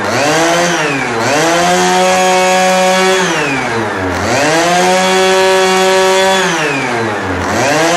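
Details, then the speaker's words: Pocket bike two-stroke with Dellorto SHA 15mm carburetor, first start on oil-rich fuel mix, some smoke and a small exhaust leak: crisp buzzy sound rising and falling cleanly through three free-revving blips, no misfire or rattle; running healthy. "Yeah, baby, she runs! Now there is some smoke right here. Of course, it is with the bad fuel, not really bad fuel, but more rich oil fuel. But she sounds absolutely amazing. It sounds like a proper bike right now."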